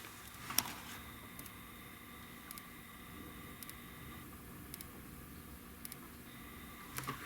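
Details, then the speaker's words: Hantarex Polo 25-inch arcade monitor switch-mode power supply ticking faintly about once a second over a high whine; B+ read about 225-227 V instead of 144 V. "takes a few seconds and no we are there's our ticking you can't really hear it"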